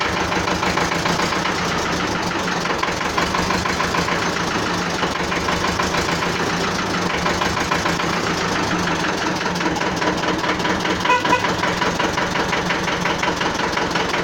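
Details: Renault N72 tractor started in neutral, alternator charging light off: steady, even idle with a dense fast clatter and no misses or surges; running smoothly after starting.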